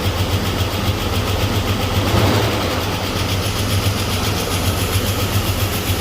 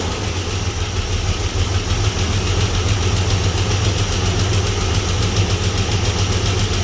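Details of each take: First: Chevy S-10 donor engine with bad spider injector, timing checked, after oil change and running a while: steady low idle with even beat, no tapping or missing; smoothed out, possibly lifters pumped up. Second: Chevy S-10 donor truck engine after bad spider injector flooded gas into the oil, weak oil pressure: low idle, slightly rough and loping, with a faint uneven tick; owner suspects a lifter not pumping up, hoping an oil change smooths it.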